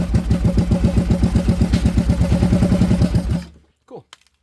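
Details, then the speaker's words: 2014 Kawasaki Brute Force 750 fuel-injected ATV, no-start, running on gas poured into the throttle body with filter off: rough, uneven firing about four beats a second, then dies; fuel delivery failure. "So, we are 100% sure it's fuel. So, we got to check uh fuses, power at the fuel pump."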